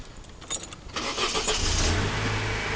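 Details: 2002 Mercedes-Benz A190 with intermittent no-start (starter motor, fuel pump, cam and crank sensors already replaced without change): a short crank catches quickly and settles to a steady idle; starts this time, fault intermittent.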